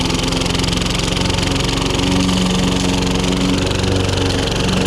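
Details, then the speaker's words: John Deere 14SB single-cylinder mower with suspected fuel issues, mulching very thick grass: low laboured, slightly uneven putter, engine bogging under heavy load; owner unsure if it's a fault or normal for this mower. "That's bogging it. You can hear the engine going under load."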